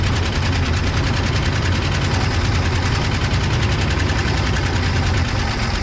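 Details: 1979 Scout II at its first start after sitting 20+ years, bottle-fed fuel, runs loud and rough with a heavy uneven rumble and a chattery exhaust note; an exhaust leak is suspected.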